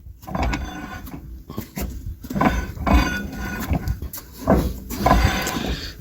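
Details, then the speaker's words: 1987 Isuzu Trooper rear brakes, refitted with Passat calipers, wheel turned slowly by hand: intermittent scraping swish; caliper isn't rubbing anywhere, the sound is the wheel rubbing. "zacisk sam w sobie nigdzie nie trze a ten taki dziwny dźwięk który słychać to jest obcieranie koła o same"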